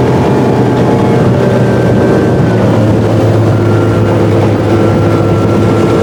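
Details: 2018 Chaparral boat, MerCruiser 4.5L 250hp V6, after replacing the top ignition coil over a breakdown under load and speed: a steady, strong drone at high revs, above 4,000 rpm, with no stumbles or dropouts; no more codes.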